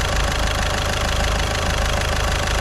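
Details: Caddy diesel after a week-long repair in which a stuck injector was removed with a slide-hammer puller kit: steady, even idle clatter at constant pitch with no misses or knocks, nice and quiet, running lovely. Normal idle.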